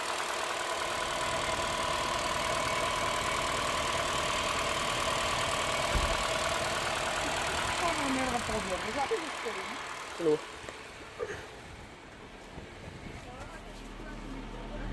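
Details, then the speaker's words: 2012 Honda Jazz 1.2 petrol after repair of misfire on cylinders 2 and 4 (coils and injectors previously swapped by others); steady, even idle hum with no stumbles or skips, no warning lights; normal idle. "there we go as you can see there's no misfirings we're going to check the live data anyway just to make sure but there is no misfirings at all"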